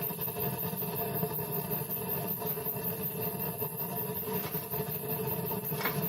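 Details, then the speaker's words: Waste-oil rocket stove after door was cut off and replaced for proper airflow, draft adjustable: steady low rumbling roar with soft uneven chug, no sputtering; drawing and burning well, normal. "And as you can hear, it's working excellent. I can adjust this here to get less draft or more draft."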